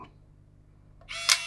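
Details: Fujifilm Instax Mini with flashing orange lights fault, after repair: sharp shutter click followed by a short, even motor whir as the print ejects; the camera cycles normally.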